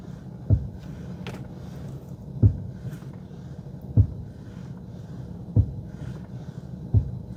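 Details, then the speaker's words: Mercedes W124 knocking on left turns: five sharp single clunks about 1.5 s apart over a low rumble while turning, traced to a worn ball joint on the driver's side of the drag link; drag link and steering shock replaced. "good now that you commented I can tell you what it is the ball joint on the driver's side of the drag link here"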